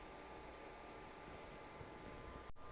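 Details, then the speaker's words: COWSAR countertop ice maker just switched on for the ice cycle: soft, even whir with a faint steady tone as it pumps water and the fans, one sucking and one blowing, run normally with no rattles or scraping. "I only saw one choice there, which was on, and I turned it on, and it sounds like it's pumping the water, and I see the fans coming on. So we got the fans coming on"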